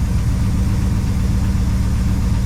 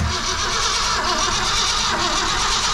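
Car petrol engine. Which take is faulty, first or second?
second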